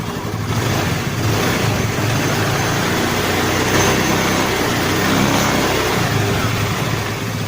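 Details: Honda Vario 110 carburetor scooter that had seized (wouldn't kick-start), after rebuild with valve guides, rocker arms and valves replaced; steady, even engine note with solid low hum, no knocks or rattles; normal running.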